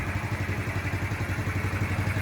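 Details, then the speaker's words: 2024 Kawasaki Z125 Pro after a no-start repair, first time running: steady, even low putter at idle with a smooth, regular beat and no knocks or misses; 229 miles, check engine light now off; normal idle. "I got the bike running. So, here's the first time I've ever heard it. Sounds actually really good."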